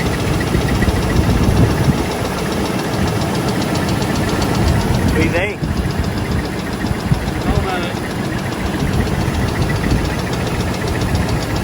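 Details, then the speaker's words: 2001 Oldsmobile Bravada (Copart purchase) idling with blinking check-engine light, deep uneven lower-end knock, oil burning off and smoking under hood; metal-on-metal squeak, owners fear it's about to lock up and need a motor. "engine light is blinking. I'm pretty sure it's not supposed to blink unless something's like really wrong. That sounds awful."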